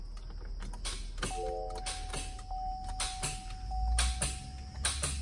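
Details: 2016/2017 Chevy Impala, 3.6 LFX V6, 61,000 miles, jump box connected: each key turn gives one sharp click and a warning chime with no cranking, first taken for a bad starter; the engine is actually hydrolocked with water, with bent valves.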